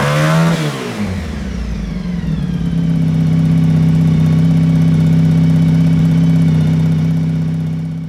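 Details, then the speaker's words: Honda VF1000 V4-powered buggy, driven: note climbs quickly then holds a strong steady drone with even pulses and no misses; owner thinks it runs on all 4 cylinders but isn't sure. "It's running better. It seems to be stronger. It sounds like it's running on all 4 cylinders, but I'm not entirely sure. But it sounds a lot better."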